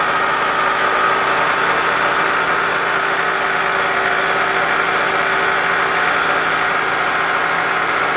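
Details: 2003 Toyota Camry, about 200k miles, after replacing a shredded belt but not the tensioner; loud at different idles. Busy fast top-end ticking at idle; lifters, camshaft and timing idler confirmed, original camshaft had snapped, engine replaced.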